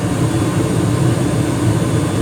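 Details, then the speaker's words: 2021 Carrier gas furnace running after cleanup and filter change: low, even rumble from burner and blower with no flutter, rattle or pulsing; no evidence of a cracked heat exchanger, running steady. "I don't see any evidence of a cracked heat exchanger. Things nice and steady."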